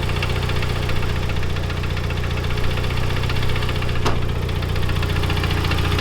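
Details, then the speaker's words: Neglected Mitsubishi Evo 9 at steady idle with a light, fast ticking on top, not a bottom-end knock; lifters reportedly already all replaced, tensioner doubted, owner suspects hydraulic valve lifter tick, unconfirmed. "To me, it sounds like, so these are hydraulic lifters for the valves."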